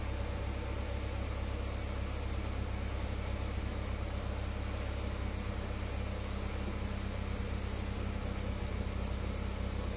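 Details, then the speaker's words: Honda Civic Ferio (1998 EG) after DIY power steering rack rebuild for leaks, steering fluid refilled, engine started and wheel turned to check for leaks: steady even idle, low hum, no whine or groan; normal power steering operation. "Okey, kita dah isi minyak steering. Kita start, kita tengok ada leaking ke tak. Main steering."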